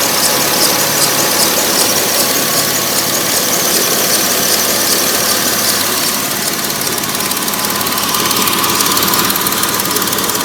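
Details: 2006 Porsche 997 S pre-facelift flat-six, 53,000 km, idling; sharp metallic clatter with high hiss, ticking two to three times a second; owner says it sounds strange somehow, unexplained; abnormal engine noise at idle.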